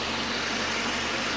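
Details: 2.0 Citroën C4 idling after cylinder head repair. Steady, even idle under smooth hiss, no ticking or knocking; the engine runs cleanly.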